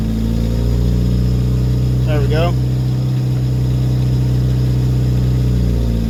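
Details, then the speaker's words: Woodgas-fueled Chevrolet Cavalier after fixing PVC piping leaks, warming up: steady low hum picks up cleanly on a brief throttle blip, running evenly on the cleaner gas; normal engine revving. "okay you can hear it's running i'm letting it warm up a little bit got a little bit of throttle put into it"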